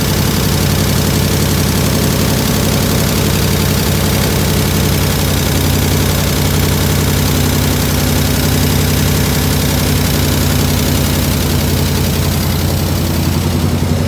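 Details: 1967 IH Loadstar 1600 shop truck V8 during overhaul: deep steady idle, even low rumble, no misses, knocks or hissing, running a lot better, slight tapping suspected from exhaust; normal idle, needs fine tuning.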